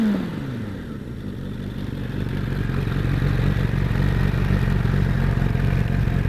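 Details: Suzuki Bandit GSF 600 running: rapid fairly regular clatter about four taps per second over engine; source not pinned down.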